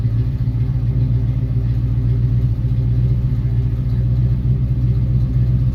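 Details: 1966 Mustang after swapping in a 1990s Ford 302 roller V8 to replace its dead 289, with a new exhaust. Deep, steady V8 rumble through the exhaust, an even beat with no misses, ticks or knocks; it runs smoothly with plenty of power.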